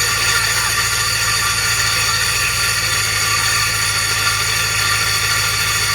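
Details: GMC engine running after startup with a constant harsh metallic grind that doesn't let up: starter gear not retracting and dragging on the flywheel, starter drive not disengaging.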